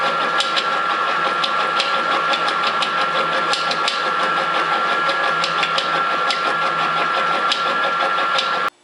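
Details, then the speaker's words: Running treadmill: motor whine with intermittent knocks and thumps from a worn right-side rear roller bearing, which lasted 1,423 hours and 5,126 miles. "With the treadmill running, you'll need to determine where the thumping noise is coming from. On this particular treadmill, the noise is coming from the right side on the rear roller."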